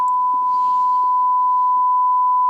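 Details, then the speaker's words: Swedish Amerikansk Ljudteknik GF 10 valve guitar amp, probably from the 1960s–70s, under restoration, fed a 1 kHz sine: steady test tone with faint scattered crackles and scratchy hiss; source unknown, a possibly swelling capacitor is suspected. "sine wave signal yeah and it's making noise there's some noise some scratch noise coming from somewhere"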